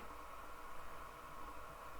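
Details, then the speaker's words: 1936 Montgomery Ward 62-315 tube radio being slowly powered up after capacitor and resistor replacement, B+ near 200 V: faint steady hiss with thin tone, static only, tuning condenser blocked. "it's not what are we hearing I hear static"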